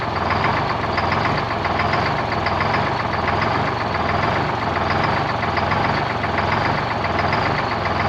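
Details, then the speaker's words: 1973 Peterbilt 352 cabover, 12V71 Detroit two-stroke diesel V12, first run since 1984: heavy idle with a recurring lumpy beat about once a second over the steady drone, as if one cylinder is weak; fuel and oil pressure good, cause unconfirmed. "so a little bit of wall it's like one cylinder in particular"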